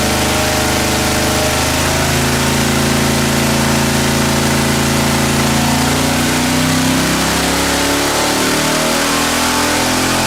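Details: Junkyard LS V8 with twin two-stage BorgWarner turbos on an engine dyno: loud pull with wavering tones and uneven deep thuds under load, misfiring as boost builds; earlier two cylinders misfired, wastegates investigated.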